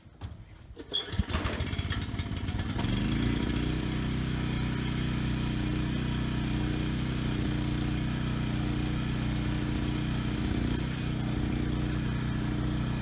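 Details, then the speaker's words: Briggs and Stratton Storm Responder generator after cleaning a carburetor main jet clogged by old untreated gas: it starts on the first pull and holds a steady, even speed with no hunting or surging; it still needs only a new fuel petcock. "Okay, good. Started first pull. The engine sounds good. No hunting or surging. Engine speed is good."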